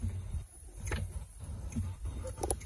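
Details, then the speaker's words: Rebuilt air wiper motor on a vintage GM PD-4106 bus, after the overhaul: slow, soft puffs and light thumps about once a second over a quiet background. It cycles smoothly and evenly, working exactly as it should. "it looks like it's working great so here's the part function yeah that works exactly the way it's supposed to"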